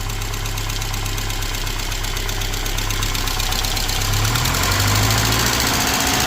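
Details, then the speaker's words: Saab 900 SPG turbo (T3/T4 hybrid turbo, open intake, modified exhaust), likely first start in about a year on a jump pack: light regular ticking, about 160 a minute, over steady idle; lifter tap at idle. "You can tell she hasn't ran in a while. Got a lifter tap going on there."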